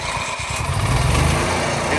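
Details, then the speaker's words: Onan 4000 watt RV QG generator after tune-up and draining oil: quick crank, catches and holds steady even drone without surging; starts right up, primed once for 10 seconds, previously hard starting. "starts right up so I mean I don't have to even prime it when I first went to go start this today I primed it for 10 seconds one time and start right up"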